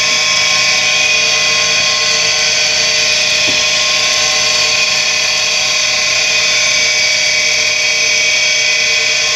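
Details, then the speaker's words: Tempstar furnace draft inducer motor with bad bearings, on a warmer day: loud, steady, drill-like high whine after lubricant was sprayed in and the motor freed from being frozen; worn motor bearings, temporary fix until replacement. "the here's Mary's are bad in it so an interim place and I have one of these on hand in floral memory take care of it"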